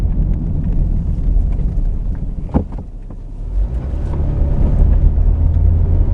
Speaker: Just do that again quickly. No more noise.